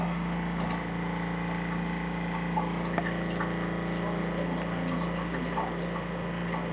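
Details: Flojet LF-12 small diaphragm water pump under test with new pipe connections, powered at only 9 V 1 A rather than 12 V: a constant low buzzing drone with a steady pitch and no stutter or rattle, running normally.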